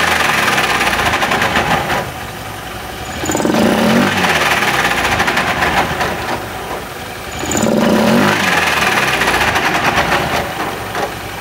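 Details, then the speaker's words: Honda Beat FI scooter (owner complains of rough starter) idling with a coarse, gravelly rumble from the CVT that swells on each throttle blip; mechanic suspects worn, damaged CVT pulley shaft bearing; rough CVT noise. "supaya teman-teman dan konsumen lain bisa mendengarkan suara kasar pada bagian CVT pada motor Beat starter kasar yang sedang mekanik bengkel kerjakan ini ada masalah pada bagian mana"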